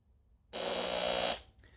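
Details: Fog machine pump, "dead" unit revived by cleaning with white vinegar, possibly a new O-ring: short, steady buzzing hum that starts and stops cleanly with an even tone. Pump now running normally, tested before reassembly.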